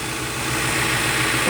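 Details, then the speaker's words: Ford MPFI intake after sharp edges in the intake were smoothed and a 1/8" hole was drilled in the throttle plate. Steady idle with a soft airy hiss and no droning resonance: the intake resonance is fixed. "this thing is fixed I think the problem was all this residents coming from over here because I creating this like loud residents inside this intake part of here"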